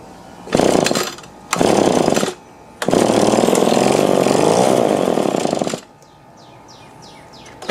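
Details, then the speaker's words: Echo PB-2520 two-stroke blower after carburetor reinstall, before idle adjustment: catches and revs cleanly in sharp bursts, dropping back to a steady idle; normal running. "Alright, that's sounding better."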